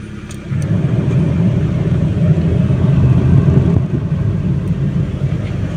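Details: Proton Wira with replaced Sanden aircon compressor, recharged, engine running with AC switched on: engine note deepens and firms as compressor cuts in, then even low hum without knock or squeal; normal AC compressor operation.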